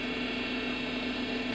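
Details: Honda Odyssey with a noisy power steering pump, after adding fluid to the power steering tank: steady, even engine idle with a smooth hum and no whine or groan. The pump has gone quiet.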